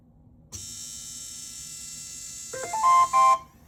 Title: Bambu A1 mini problem, anyone know why it’s making this noise/not printing, and how to fix it?